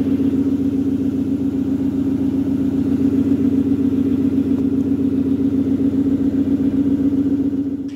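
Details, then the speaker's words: Second-generation Aston Martin Vanquish V12 at cold start. Steady, even idle with a smooth low drone and no ticking or tapping: normal when cold. The characteristic ticking appears only once warm. "everything when you start from cold was as you'd expect engine sounds normal everything behaves no concerns"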